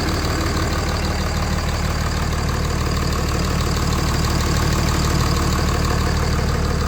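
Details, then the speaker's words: Cummins diesel running after a no-start was fixed and battery terminals replaced: steady, even idle with smooth low rumble and regular firing, no misses or knocks; normal diesel idle. "Well, as you can hear, it's running."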